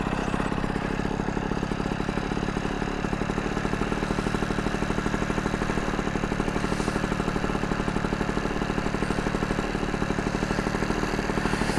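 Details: Vespa Ciao moped fitted with a new engine, 43mm DR kit and new exhaust, first start: quick, even two-stroke putter at roughly three beats a second, holding steady without hunting or dying; engine idles healthily.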